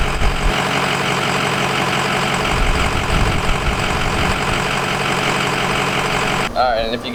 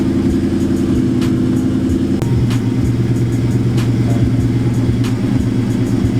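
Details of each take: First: Nitrous-equipped Ford Mustang, first start after battery terminals were wire-brushed and after a fresh tune: lumpy, uneven idle holds about six seconds, then the engine abruptly dies; stalling at idle, owner unsure whether the tune is at fault. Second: Cammed nitrous Mustang after PV tuning fix, idling around 850 rpm, previously rich and stalling as cams loped; deep, lumpy cam idle holds steady and even, settling lower without stumbling or dying: healthy warmed-up idle.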